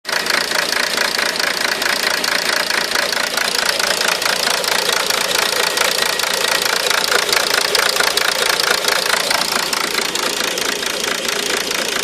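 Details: Intermittent rough idle: uneven, ticking roughness about two beats a second, bright and hollow; possible misfire, source not located.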